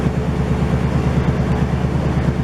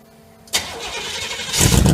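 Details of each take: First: 1968 GMC truck on its first start in 20 years after a lot of work: a deep, loud V8 idle with an even, steady pulse that settles as it warms, with no knocks or misfires. It runs healthy with only minor leaking. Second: 1968 GMC truck V8 on the second start attempt after 20 years of sitting: a brief starter whir, then the engine catches and builds into a rough, rising run after extended cranking.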